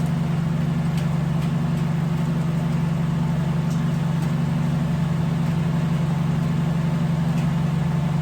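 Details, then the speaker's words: Honda Civic idling after its air ride electrical issue was fixed, cranks, runs, air ride and controller working: even, low engine hum at a steady pace with a few light ticks; healthy normal idle. "Back working. cranks, runs, air ride works, controller works, everything works."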